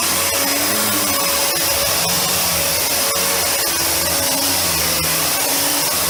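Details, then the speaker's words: Panasonic MC-UG302 1900 W upright vacuum after fitting a new brushroll, replacing the seized one: steady even high whine, no rattle, flapping or slowing; running healthy. "well apart from something being caught up it's now seems to dissolve itself that's much better"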